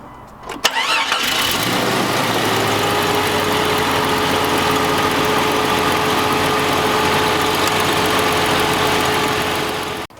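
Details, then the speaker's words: 1997 Jeep Cherokee Country, coolant low (possible head gasket leak suspected): quick crank and catch, then a steady, even idle with no knocking or pinging; the engine sounds great. "and what i mean by the engine sounds great there's no knocking or pinging or tinging anything like that"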